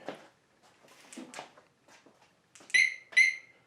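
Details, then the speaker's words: Alarm-armed double chirp after engine shut-off on a 2018–2020 Harley-Davidson Softail after installing the Smart Siren II security system; two sharp high chirps about half a second apart, suggesting the alarm has armed. "and you hear the double chirp I'm guessing the alarms gonna work"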